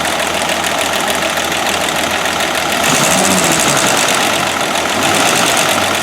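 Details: 1969 Land Rover Series 2a six-cylinder, rear cylinders previously misfiring, after spark plugs checked and refitted: busy even idle with steady rapid beat like a sewing machine, no dropouts; all cylinders firing.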